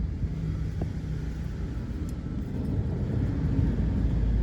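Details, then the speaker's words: Espass van, front left wheel spinning: deep, steady, fairly loud rumble with no clear rhythm from a worn, loose wheel bearing; wheel bearing replacement recommended. "itu suara gemuruh cukup kencang. Itu disebabkan dari laker rodanya yang sudah mulai oblak. Itu saran diganti laker roda."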